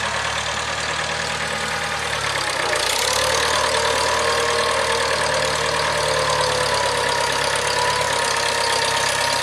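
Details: 1975 International Harvester 574 four-cylinder under load after carb main jet adjustment: steady low drone with smooth even beat, no stumbling or misfire; running properly, sounds like new.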